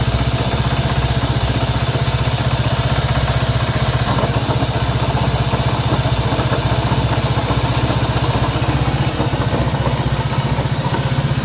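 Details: Honda CB190R single-cylinder motorcycle engine noise at idle: a fast, fairly even tapping of about four per second over the exhaust beat, internal noise, cause unclear.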